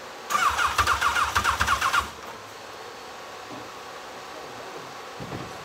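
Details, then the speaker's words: Legends race car after a motor swap, first start attempt with headers on: starter churns about four beats a second for under two seconds, then the engine dies; hard start, suspected flooding. "okay I think we got it flooded we're gonna check something out be right back with you"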